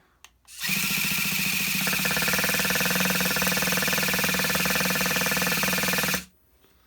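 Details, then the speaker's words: Vintage Traxxas Rustler nitro RC truck with new parts, primed and spraying fuel: steady high-pitched buzzing whir as the starter spins the engine, never firing; cranks but won't start, low-end needle setting then checked. "Sounds like it wants to go, but it's not going."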